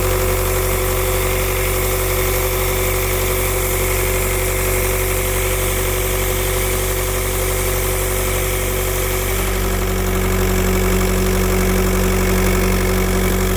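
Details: Idling engine with a constant arrhythmic airy hiss over the hum, like a pressure or vacuum leak; turbo tested with VCDS without locating it, owner suspects pressure loss (turbo, EGR or vacuum pump suspected), unconfirmed.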